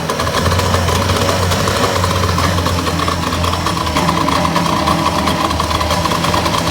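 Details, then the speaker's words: 1962 Johnson 75 hp outboard with burned reeds. Fuel pump rebuilt, timing set, new plugs and coil. Idles unevenly, the drone dropping in and out; rough, unstable running. It runs a few minutes then dies and is hard to start; the owner suspects the starter, which overheats. "it runs for a few minutes and then just dies and it's very hard to start"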